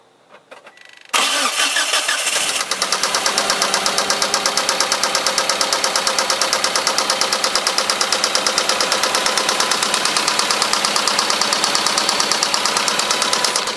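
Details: Eagle Talon, first start-up of a replacement used block sold as good working condition: cranks, catches, then a loud, sharp knock about three times a second at idle; rod knock suspected.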